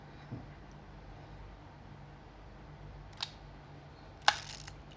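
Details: Yashica Electro 35 GT, checked before return after repair of shutter not opening fully: a few crisp, snappy shutter clicks with quiet gaps; each fires cleanly, shutter working normally.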